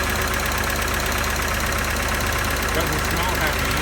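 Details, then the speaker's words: Auction car showing 1,600 miles, listed as running, started and revved: rough idle with a steady tapping knock under the running noise; engine knock, cause unclear. "doesn't sound happy at all what a shame"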